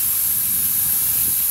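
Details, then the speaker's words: 1978 Hornby G100 Stephenson's Rocket 3 1/2 inch gauge live steam locomotive, never steamed, boiler air-pressure tested to about 30 psi: steady high hiss from improvised connection into boiler, safety valve not venting (expected about 10 psi). Air leak at boiler connection. "The hissing you can hear is from my improvised connection into the boiler, but we haven't got anything from that safety valve."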